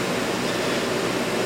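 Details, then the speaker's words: Early 1960s Philco Noiseless unit, restored: smooth, even airy hum with no rattles, squeaks or ringing; normal, quiet, even compressor running. "they kind of go ring ring ring ring this is a nice even compressor this compressor you can hardly hear it"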